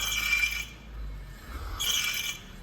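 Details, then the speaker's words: Kia Sportage rear brake pads with no wear sensor or dash warning: thin, high squeak in short bursts with gaps between them, the audible wear indicator; the rear pads are worn and need replacing. "so you start hearing a squeaking at that point that is your vocal indicator I like to call it"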